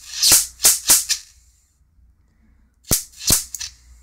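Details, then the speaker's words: Mitsubishi Diamond Plus 93 SB CRT monitor, flyback with built-in capacitor tested in circuit. Crisp snapping cracks in quick bursts with quiet gaps, and corona visibly building before each fire across an arc of about 25–30 mm. Healthy flyback arcing. "i see the corona builder build up on that just before it fires"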